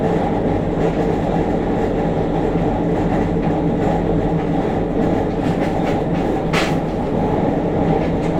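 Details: JR Kyushu 303 series K01 set, car 4 MoHa 303-1, recorded above the Hakata-end bogie on a rapid train, Shimoyamato to Hatae: steady rolling rumble with heavy vibration and a droning motor groan following motor speed; cause unknown.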